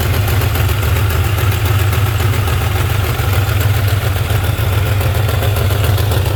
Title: Startup vid to show clacking/ticking noise 2003 4.6 2v